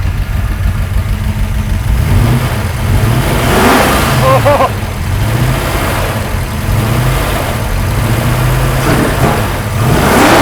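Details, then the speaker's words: About 600 hp big-block Chevy in an 80s C10 squarebody with a lot of cam, basic tune and base timing: the deep V8 swells cleanly through several blips and settles without misses, a healthy free rev. "All right, this thing sounds killer. We got just the basic tune in there."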